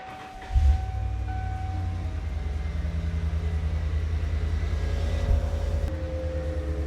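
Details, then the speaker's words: 1989-1997 Ford F250/F350 7.5L 460 gas V8 after Saginaw power steering pump upgrade and bleeding, truck on ground at idle: low, smooth, even rumble with no pump whine or groan, much quieter than before; normal. "Hear how quiet that thing is. So much better. I mean, what a difference."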